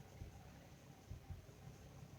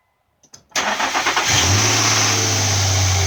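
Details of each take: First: 2006 Infiniti M35 idling under load, in gear with AC cycled: a low rumble breaking into an occasional uneven stumble, an intermittent misfire traced to bank 2 via air/fuel ratio sensor data. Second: 2006 Infiniti M35 after valve cover work and misfire repair, first startup: quick crank, clean catch and brief flare, then an even, smooth idle with no stumble; normal startup and idle.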